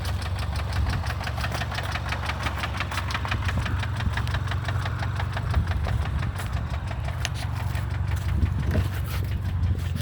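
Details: 2015 Kia Rondo 4-door wagon petrol engine idling with a steady, rapid knocking tap in time with engine speed: engine knock.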